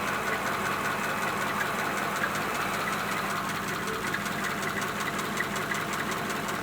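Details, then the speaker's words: 1941 pickup that wouldn't start after mild weather and heavy overnight rain soaked the engine, started after compressed air and a heat gun on the distributor: steady, even idle, no knocks or misses, steam rising from the manifold; running normally. "that's good it's running can you see all the stains coming off can you see all the steam coming up"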